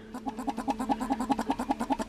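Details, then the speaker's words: Rebuilt old metal Kohler fuel pump with diaphragm on Panzer T758ES tractor engine, worked by hand: crisp, even ticks about eight per second; check valves seating cleanly, pump healthy. "if you guys can hear that check valves are moving the diaphragm is doing what it should so we have a nice pump to draw fuel in"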